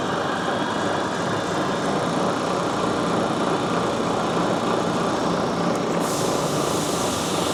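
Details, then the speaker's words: South Bend 14-inch swing tool room lathe, 480V three-phase: steady, even whir and hiss from spindle running smoothly with no knocks; the lead screw drive gear is noted as quite noisy. "The gear that runs this screw is quite noisy. As you can hear, the spindle itself is quite smooth."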